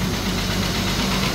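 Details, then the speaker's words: 1997 Ford Explorer XLT 4x4 running after fuel pump and filter replacement fixing a no-start: low, even idle hum with steady rumble, no misses or knocks; normal idle. "He's alive! He's alive! He's alive! Yes! Victory! Running! Finally running! Oh my gosh!"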